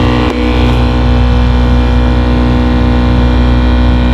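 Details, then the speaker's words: 2019 Nissan Sunny, AC blower behind the dash: loud steady droning hum with a rough vibrating edge; its two bearings wear out after some time in service, causing heavy vibration and noise. "इसके लाक कुछ अरसा चलने के बाद ख़राब हो जाते हैं जिस वजह से फिर इसके अंदर वाइब्रेशन पैदा हो जाती है।"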